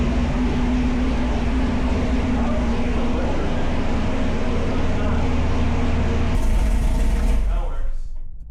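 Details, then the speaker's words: Freshly swapped 1000+ hp V8 in the Camaro, just started with oil pressure 45, shut off soon for a warm idle log: deep, lumpy idle with steady low rumble and even pulses, no knocks or ticks; normal warm idle. "What happened? I just turned it off. Oh, why? Cuz he just wanted a warm idol log real quick."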